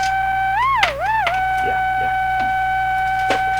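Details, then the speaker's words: Hammarlund SP-600 receiver, powered up on a variac from about 80 V, in CW mode with no antenna: a steady high whistle that bends up and down briefly, then holds constantly; the cause is not yet known. "not a bad sign it's kind of a bad sign you shouldn't be making that sound all the time"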